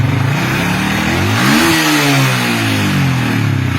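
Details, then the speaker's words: Yamaha Vixion that sputters and bogs with lights on, meter on battery while revving: engine blips and settles smoothly, but charging voltage rises at idle and drops when revved, draining the battery; faulty voltage regulator/rectifier. "nah angkanya kok jadi turun seperti ini ketika di blayer pantesan aki bakalan ckar terus ya karena ketika blayar motor pengisiannya malah turun bukan bertambah"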